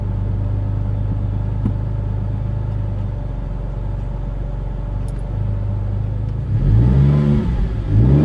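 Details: Ford Mondeo ST220 V6 with random misfire on banks 1, 2 and 3, down on power, won't rev past 5k: idles unevenly, then labours flat and breathless when revved; blocked rear catalytic converter.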